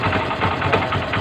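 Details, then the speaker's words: Honda CB125 idling in neutral, engine overhauled over a year ago: loose quick metallic rattle that disappears when the clutch lever is pulled in; worn clutch damper, not yet replaced. "Mga Pre lumalagutok na yung clutch d pero pag hinawakan natin yung kanyang clutch lever mawawala yan"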